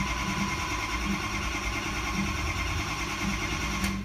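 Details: 2005 diesel pickup, 115,000 miles, after owner's head-stud job, cranking with even rhythm but never firing; ICP shows low high-pressure oil, suspected empty system or broken branch tube. Crank no start, low injection control pressure.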